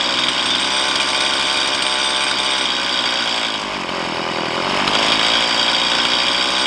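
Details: Stihl MS170 chainsaw with 16-inch bar, upgraded with Farmertec parts, after setting idle mixture and idle speed: high buzzy note, fairly steady, slight dip then recovery; normal idle.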